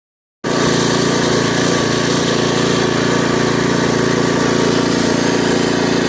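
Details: Craftsman rototiller with a Briggs & Stratton 5.5 hp I/C single-cylinder engine, left outside in the garden with water and rust in the fuel tank. After the tank was rinsed and refuelled it runs at a steady, even beat with no misses or surging.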